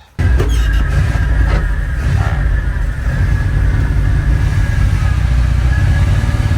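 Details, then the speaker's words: 1980 Dodge Power Wagon W300 1-ton 4x4, carbureted V8, revived after sitting for years, after a short drive: deep, steady rumble with no stumbling or popping, running smoothly. "Well, now that I drove it a little bit, it's running really good. Running fantastic."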